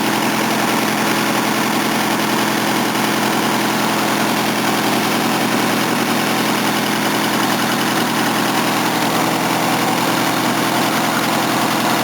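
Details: Old Mercedes 230 after cooling system flush, idling at 3°C: steady even idle with faint irregular exhaust puffing, otherwise smooth and quiet; exhaust blowing, needs new engine exhaust pipe.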